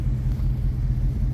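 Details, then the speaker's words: Chevrolet Tahoe with an intermittent misfire and flashing check engine light, before a spark plug change and tune-up; deep uneven rumble with irregular stumbles. Engine misfire; plugs suspected, not confirmed. "it's not as bad as his uh other Chevrolet though it's missing like him apparently it's missing like hell"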